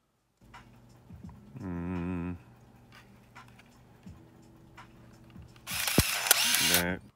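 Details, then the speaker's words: Olympus AF-10 Twin 35/70mm point-and-shoot film camera on 10-second self-timer: short motor whirr, faint shutter click, then longer buzzing film advance; self-timer, shutter release and advance working normally. "셀프타이머 는 이게 표시가 돼 있을 때 셔터를 누르면 잎을 빛이 핑 하고 나와가지고 10초의 깜빡이 다가 지키게 돼"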